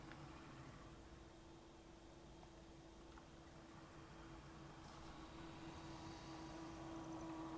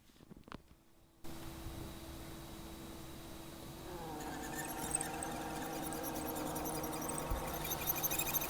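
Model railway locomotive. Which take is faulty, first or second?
second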